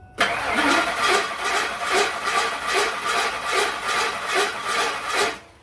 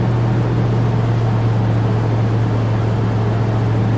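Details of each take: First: Ford F150 10th generation with a newly installed replacement engine, cranking for about five seconds: rough, uneven whirring chatter at about two and a half beats a second, not from the front of the motor; flex plate or starter suspected. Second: 10th-generation Ford F150 with newly installed engine, running after first start and break-in, oil pressure good, warmed to temperature: smooth even low hum, steady pitch, no knocks or ticks; normal running.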